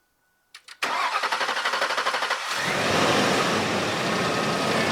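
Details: 2004 Ford F-150 (11th gen) just after battery replacement: brisk even cranking for about a second and a half, then it fires into a strong steady idle; healthy start.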